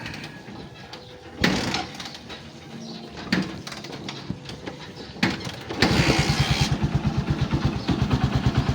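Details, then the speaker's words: Honda TMX Supremo 150 motorcycle that was misfiring with no power: after the spark plug and cap wiring were reconnected, initial clatter settles into a quiet, even single-cylinder idle with no missed firing. Normal after repair. "Yan na. So, tahimik na siya mga best friend. Oh. Diba? Ano pa? Okay, goods na siya."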